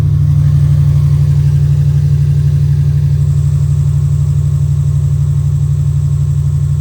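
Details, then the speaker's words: 2000 Subaru Impreza Outback Sport idling after a small exhaust leak was temporarily sealed with JB Weld muffler seal, having earlier made raspy, sputtering, lawnmower-like exhaust noises: even, steady low exhaust pulse with no rasp, sputter, puffing or ticking. "sounds much better now and that's how you uh fix a small exhaust leak and an old car"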